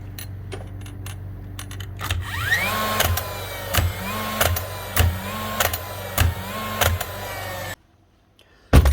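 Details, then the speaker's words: Dewalt DCN692 first-fix nail gun: flywheel motor whirs up, then sharp clicks about every 0.6 s with no nail driven; the dreaded click points to trigger, driving pin or springs inside. "That's the dreaded click, click, click. That's when you know you're into money with these here guns."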